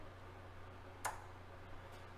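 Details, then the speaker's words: Yamaha CR-1020 stereo receiver, previously repaired protection board, switched on at the bench: one sharp protection relay click with a speaker pop over a low hum, then a fainter click; it goes in and out of protection. "of see what happens so there really just clicked and there was a pop"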